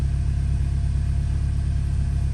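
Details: Engine warming up after cleaning a carbon-fouled throttle body that caused low idle and shaking, idle settling toward 800–900 rpm: low, steady rumble with an even pulse and no stumbles or shake; healthy idle.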